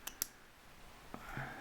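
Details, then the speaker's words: ZF 5HP18 automatic transmission C1 clutch rebuild: two sharp metallic clicks then a softer third as the snap ring is pushed under the teeth by hand and seats properly in its groove. "so you're able to put the entire snap ring under the teeth and you'll hear it making clicking noises which means you're doing the right thing"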